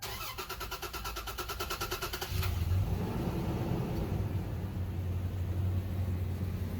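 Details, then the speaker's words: 2004 Toyota 4Runner after used fuel pump and level sender replaced without dropping tank, primed first: starter cranks about two seconds, engine catches and settles to steady even idle; fuel pump working, no leaks. "Well, at least we know the fuel pump's working."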